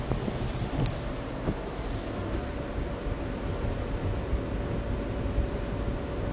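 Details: VW 24v VR6, stock, 120k miles, with 02M transmission: a faint steady whine over road and wind noise, most obvious at 35–40 mph and completely gone above 47 mph. The cause is still being troubleshot.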